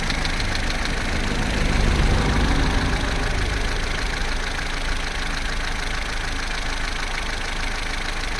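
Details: Vauxhall Corsa C, Z14XEP petrol engine, 86,000 miles, cold idle from start-up to about 6 minutes: a steady idle with a fairly quiet top end and no chain rattle. The timing chain rattle only becomes pronounced at full operating temperature.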